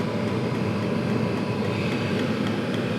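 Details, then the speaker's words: Chinese 5-7kW diesel air and water heater just after glow plug switched off, fan 3,400 RPM, pump 3.6: steady fan roar, even burner rumble and faint regular fuel pump ticks; lit, putting out warm air, running normally. "The fuel pump's running."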